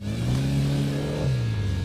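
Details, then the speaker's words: Old petrol car starting and revving: loud, deep, raspy unmuffled-sounding exhaust rumble; thought to be a leaking exhaust rather than a sport muffler, not confirmed. "Oh, knalpot sport. Dengarkan IMG Sport. Ya ampun, ayo jalan. Bukan, ini bukan IMG. Ini kerabot bocor."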